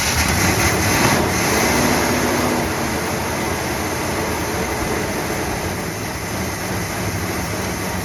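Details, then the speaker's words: 1966 Plymouth Fury III 318 V8 after sitting 25 years, before carburetor rebuild; uneven, loping idle with an irregular pulse under a hissy background that won't settle, carburetor suspected. "so here in a couple days we'll get this carburetor back throw it back on and see if it possibly fix this idling thing"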